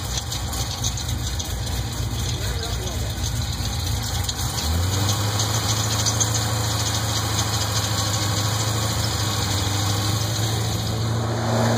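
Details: Chevrolet LS2 V8 starts and settles into idle with a light, quick ticking over the rumble, most likely from the top end; possible lifter knock.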